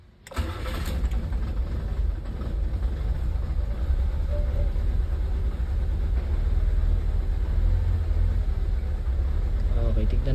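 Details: Nissan Sentra ECCS, earlier crank-no-start: short crank catches on one click, settles to steady even idle with smooth low rumble; normal start and idle, idle still needs work.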